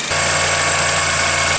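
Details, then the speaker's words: 2007 Toyota Yaris 1.5 idling with the old, worn water pump: a steady low hum with a harsh, hissy whirr from the pump bearing. There is no coolant leak; the owner complained of engine noise, compared against the new pump. "Old water pump. As you can tell, this one's making kind of a noise."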